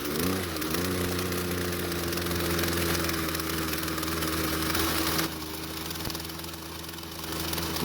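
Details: Small two-stroke string trimmer that is hard to start hot and idles poorly: buzzy, slightly uneven idle that wavers in pitch, before any carburetor adjustment; its old fuel looked bad. A tiny carburetor adjustment later fixed it.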